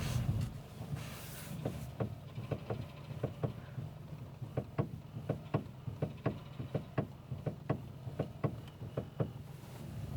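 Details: Car driving, knock suspected in the steering rack, unconfirmed. Sharp dull knocks come irregularly, roughly one or two a second, over low road rumble, like play in the steering rack.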